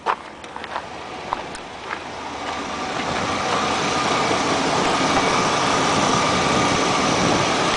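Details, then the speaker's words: 1993 GMC Safari van, 221,000 miles, central spider fuel injector: engine settles into a steady, even run with no knocking, ticking or misfire; worn but healthy, normal idle. "Yeah, this is what 221,000 miles sounds like. Sounds pretty good."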